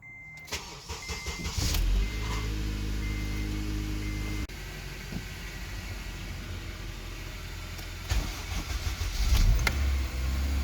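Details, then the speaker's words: 2004 Honda Accord Euro R, K20A 4-cylinder, manual, cold morning start: whirring grind over the idle after firing, then abruptly cutting out; starter pinion sticking and not fully disengaging from the flywheel; starter removed and repaired. "so in this video i'll be showing you what to do with your starter model when it gets stuck in the morning and it um it makes the grinding noise so when it doesn't disengage fully from the flywheel"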